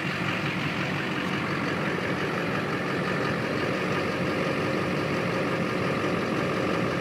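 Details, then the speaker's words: Duramax LLY diesel at idle after MBRP downpipe install, with the old gasket temporarily reused: steady, even clatter with no ticking or puffing. No exhaust leaks at the turbo, downpipe or joints. "all right we're good to go no leaks found"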